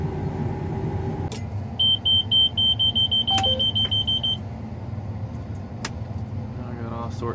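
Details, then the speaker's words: Combine on last day of Kansas milo harvest: about thirteen sharp high beeps, roughly five a second, over low engine rumble after surging with header on; hydraulic charge pressure switch stop code, then hydraulics, transmission pressure lost and engine derated. "all sorts of stop codes. Hydraulic charge pressure switch problem."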